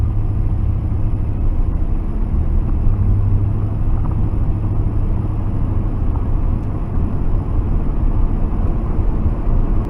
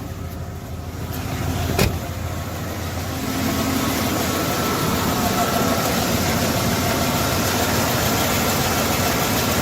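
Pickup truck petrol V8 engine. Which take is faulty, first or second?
second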